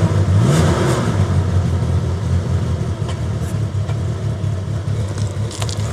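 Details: Suzuki Grand Vitara part-exchange, running outside after start: loud lumpy running with uneven low thumps, revving high trying to settle. Misfire judged not a coil pack but something more serious; a dead cylinder from low compression.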